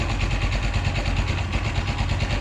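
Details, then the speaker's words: Blackbird 250 motorcycle after engine repair from seized cylinder (oil starvation suspected): even, steady idle thumping with no knocks; slight smoke from residual oil, fault fixed. "podemos decir que la falla quedó totalmente reparada checamos que no tengamos humo no"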